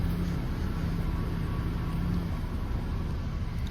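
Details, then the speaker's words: 2005 Honda Accord 2.4L after power steering pump replacement and bleeding by turning lock to lock: low, even idle with no whine or groan from the pump; steering much improved. "And as you can hear, no more whining from this steering pump. And the steering is much, much better."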